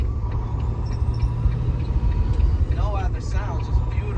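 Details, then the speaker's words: Glider truck after a breakdown and Freightliner repair, at highway speed: steady, even diesel drone with faint constant turbo whistle, no misses, shake or earlier vibration; pulling cleanly and accelerating well. "the vibration oh yeah no vibration so hold on just gotta hit the highway speed here vibration it's accelerating really well"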